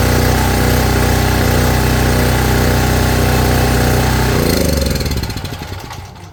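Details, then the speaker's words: Champion 4000 W (3500 continuous) generator after carburetor cleaning that fixed a no-start, fuel line still leaking, electric choke unhooked: steady fast even drone for about four seconds, then winds down smoothly when shut off; running normally. "But it looks like we got a winner."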